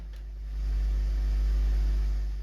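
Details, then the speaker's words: Heathkit AJ41 tube tuner on a variac at about 70 V, warming up and reforming capacitors: loud steady low hum with faint static hiss rising with voltage, worse on AM; arcing inside components suspected, unconfirmed. "it's a very loud hum"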